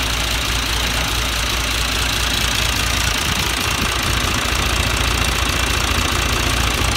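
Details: John Deere 2040 tractor diesel after water pump rebuild and coolant refill, steady even clatter at constant idle with no misses or surging; normal idle.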